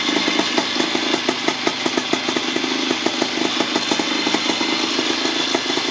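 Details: 1975 Bultaco Sherpa T 350 type 159 two-stroke single after rebuild: crisp, rapid crackle at a steady fast idle, even and unbroken, no knocks or rattles, healthy.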